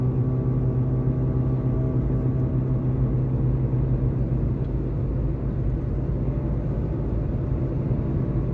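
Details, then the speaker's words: 2014 Jeep Patriot 4x4 at about 40–45 mph: a steady, low droning hum from the rear that lessens when turning right, easing load on the rear right wheel. Worn rear wheel bearing, later replaced. "now when I turn the wheel to the right if I'm I was doing about 40 45 miles an hour when I turn the wheel to the right and we go around the right curve the noise lessens a little bit"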